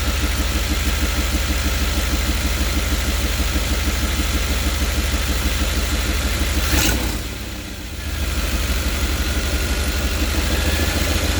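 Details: 5.7-liter TBI V8 idles louder than normal, with a rapid, steady puffing beat from an exhaust leak somewhere in the engine compartment; the interior engine cover has been removed.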